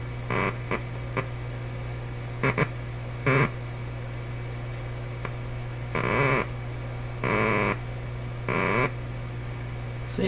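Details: 1941 Electrohome Serenader 9A62-S two-band tube radio with magic eye, at its first power-up checkout: steady hum with repeated croaking, warbling bursts that come and go. This is an oscillation, not a received station; a dirty or bad capacitor is suspected.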